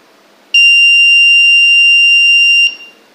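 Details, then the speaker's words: Homemade 8051 microcontroller smoke detector with an ADC0804 and a gas/smoke sensor: when gas reaches the sensor, the buzzer gives a single loud, steady high-pitched buzz of about two seconds, then cuts off. Alarm sounding. "as we can see whenever the gas is sens to this sensor this alarm goes on and as well as we can hear the noise through this buzzer"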